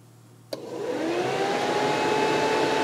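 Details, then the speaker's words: Classic car cooling system, thermal fan switch bypassed by shorting its wire to ground: a click, then the electric radiator fan spins up to a smooth, steady whir; fan motor works fine, switch to be tested. "and there goes the fan [Music] and that's working real well"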